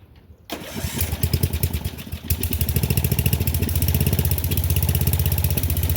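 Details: Murray Select 30-inch riding mower being revived: the engine cranks briefly, catches cleanly and settles into a steady, even idle with no knocks or misses.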